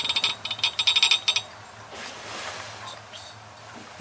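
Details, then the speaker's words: Hoffman 75 main steam vent, about a year old, on a Slant/Fin GXHA-160EDPZ steam boiler system, hot as steam arrives: quick light metallic rattle for about 1.5 seconds, then quiet; normal main vent closing. "it should just shut off when you hear the rattle so it's this is hot now"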